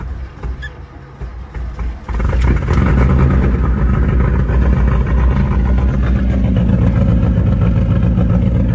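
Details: VW Mk1 Rabbit after an engine rebuild with the bearing caps re-torqued: it cranks briefly, fires about two seconds in, then settles into a loud, steady run with no knocking heard.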